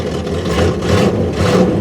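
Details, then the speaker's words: Car unused for a long time, battery just installed and fuel pump primed, idling right after first start: steady, even idle with low throaty drone, no knocks or misses; normal idle. "Never works the first time, but we'll let that fuel pump build some pressure up there, and yeah. Holy crap, it worked."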